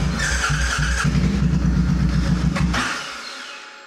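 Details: C50 first test start after tank cleaning and new fuel pump, oil black: starter turns the engine with low fast uneven chugging for about three seconds, then fades without catching; cranks but won't start.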